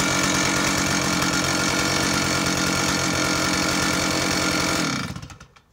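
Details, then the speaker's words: Stihl 056 AVSEQ 87cc early-80s chainsaw (Super Electronic Quickstop) after a replacement SEM ignition module cured a missing-like sound; crisp, even high idle with no misfire or stumble, then clean shut-off, running healthy. "So let me show you what she sounds like. She's an amazing engine."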